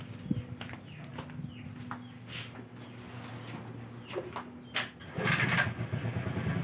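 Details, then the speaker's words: Carbureted Honda Vario scooter that died suddenly and wouldn't start due to a regulator fault and weak battery, run about two minutes to charge: faint steady low hum, even idle, some handling clicks; normal idle. "Ayo kita Nyalakan mesin ini selama kurang lebih 2 menit ya nanti untuk melakukan pengisian pada komponen baterai itu sendiri"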